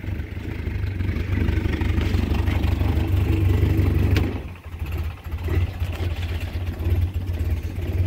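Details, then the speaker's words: 1961 Land Rover with fully rebuilt engine (bored +40, crank grind, lead-free head), cold start on choke, outside. Steady, even low idle with one brief dip midway, no knocking or ticking. Normal idle. "the engine has been fully rebuilt and it it is uh been bored out plus 40 and it has a lead free head on it for unloaded fuel and it seems to be running quite nice"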